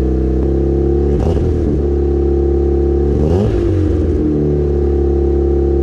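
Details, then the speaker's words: Built turbo 1.6 Mazda Miata after maintenance, warming up: steady idle with two clean throttle blips rising and settling smoothly, no knocks or misses; normal idle and revs. "So what I end up doing is I fill it up a little ways, start the car, let it run for a while, let it warm up, and then pull this out, and it should suck water in once it's actually hot."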